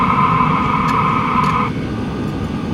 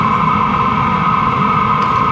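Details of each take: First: LF BROS N2 Pro 2024 diesel heater as its supplied exhaust muffler is fitted: a high whistle drops away, leaving a soft, even exhaust rush. The muffler quiets the exhaust markedly. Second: LF BROS N2 Pro 2024 diesel heater exhaust without a muffler, before comparing a roughly $20 Amazon aftermarket muffler: a loud constant roar with a steady high whistle over a rapid chuffing pulse.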